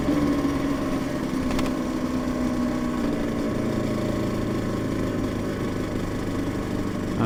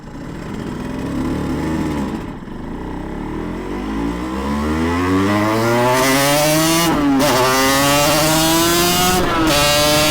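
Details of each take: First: Yamaha TZR 250 3XV two-stroke twin after a full engine rebuild, out of winter layup and not yet properly warmed up: idle burble with a light, irregular tap over it. Source unclear. Tapping noise at idle. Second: Yamaha TZR 250 3XV two-stroke twin with dry clutch, on a shakedown ride out of winter layup after a full engine rebuild: crisp note climbs smoothly through the revs and settles into a steady, clean run with no stumble. Normal running.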